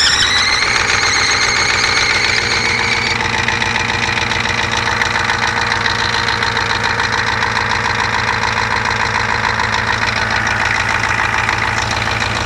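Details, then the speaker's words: First start of rebuilt 1988 Ford 7.3 IDI diesel, .020 over pistons, ported heads, Typ4 torque cam, S360 turbo, after glow plugs; steady even clatter, firm regular beat, no misses or knocks; healthy idle. "Hey she's running"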